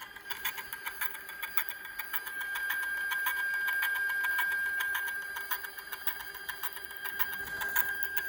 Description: Cem120 made a strange noise when working recently. The problem still exists after returning to the factory for maintenance.